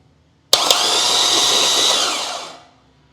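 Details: LS engine during rebuild, cranked with spark plugs removed for a compression test using starter jumped from 12 V: high, even whir for about two seconds, then winds down, no compression beat; spins freely.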